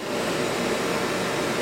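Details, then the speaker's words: Early-1960s Philco Noiseless air conditioner under restoration, running cold with frost forming: steady, even hum with a faint midrange tone and no rattles or squeaks; compressor barely audible. Normal compressor running. "this is a nice even compressor this compressor you can hardly hear it"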